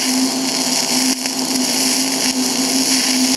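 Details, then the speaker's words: TIG welding galvanized mild steel on a less-cleaned side: a hissing arc buzz with sharp dropouts and pops about every second. Zinc coating contamination pops onto the tungsten, adds smoke and can burn through. "it'll still weld but you got to watch out you get tired of getting that popping onto your tungsten it just gets to be a pain in the butt"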